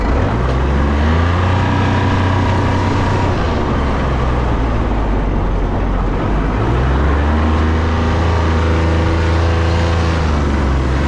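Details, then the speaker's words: 2001 Kawasaki Mule 2510 diesel after a head gasket job and a new belt; irregular metallic clank and rattle over the idle, returning after about 10 minutes of running. Owner attributes it to the CVT clutch. Clanking and rattle at idle. "Aside from that, the clanking and the clicking and the whatever loud noises that came from that are still there. That came back 10 minutes after the, turning it on and running it."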